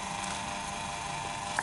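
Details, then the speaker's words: Electric fan that hummed but would not turn because its shaft was stiff; now reassembled, lubricated and bolts refitted, and tested again. An even, steady whir with constant hum, no rubbing or labouring: the fan motor spins freely and strongly, running normally. "Oke setelah pemasangan baut kita tes lagi masih memutar"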